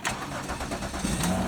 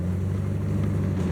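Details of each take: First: Definitely started up a lot better cuz the tender was on it, not the charger and the maintainer. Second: Older truck that sat a long time, one exhaust manifold replaced and the other still needing replacement: steady low idle with faint quick ticking on each firing pulse; exhaust manifold leak.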